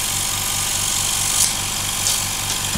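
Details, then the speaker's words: New 55 dB silent compressor filling its tank to 8 bar cutoff, with a small hose fitted as a silencer: low, even pulsing hum with soft airy hiss, steady throughout; running quietly and normally. "ein kleiner Schlauch zum Schalldämpfen scheint also durchaus was zu bringen."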